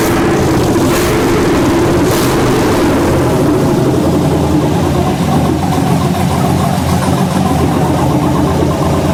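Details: 1967 Chevelle with an LS swap, electric injectors, first start: deep, steady V8 rumble holding an even idle for nine seconds with no misses or knocks; runs smoothly, though it shows a delay.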